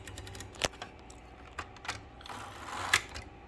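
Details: Second-hand typewriter, dirty from years of sitting, before cleaning: crisp separate key clacks at uneven typing pace, nothing sticking or grinding; mechanism works despite the dirt.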